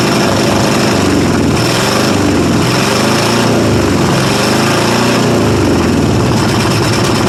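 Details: 1995 Ford F-150 5.8 L 351 V8 cold start, loud open exhaust: uneven, stumbling lope, loading up on fuel, several cylinders not firing; blows steam, owner suspects head gasket or cracked head, unconfirmed.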